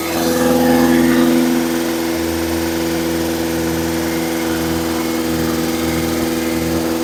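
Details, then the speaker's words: Engine at raised speed for cam break-in, third start-up attempt, cranked via screwdriver at starter: steady fast-idle drone, even beat about three per second, no knocks or rattles; battery about 18 V; louder than expected; normal. "seems to be doing really good good so far"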